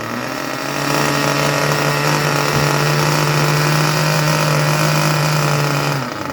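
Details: Junkyard Mutt nitro engine on a break-in stand after leaning the low-end needle a touch: steady, even buzzing idle at constant pitch with no misses or surging; normal idle.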